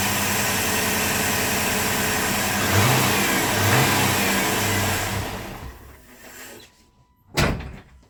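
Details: 1997 GMC Yukon 5.7 L after new solenoid-actuated parts were fitted. Runs evenly through a light rev, winds down at shutdown, then restarts promptly. Normal running.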